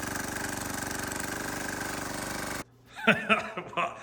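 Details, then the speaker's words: Wheel Horse 314H tractor with a swapped cheap Chinese diesel on its first test drive: fast, even clatter with no misses for a few seconds, then it cuts out. Running healthy. "I don't know about you guys but I'd call that test drive a success"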